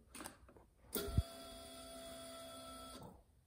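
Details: 1999 Harley-Davidson Ultra Classic with a failed ignition switch bypassed by a jumper: at key-on a short thump, then a steady, even electric whir for about two seconds that stops cleanly, a normal fuel pump prime.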